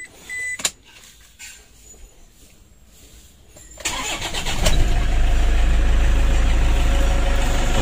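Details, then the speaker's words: Toyota Innova diesel after an oil and radiator check, with the breather hose vented outside because the turbo leaks: a brief crank, then it catches quickly into a steady, even idle with no stumble, ready to warm up and test drive. "mesinnya sudah hidup ini kita tinggal manasik dan kita tes drive"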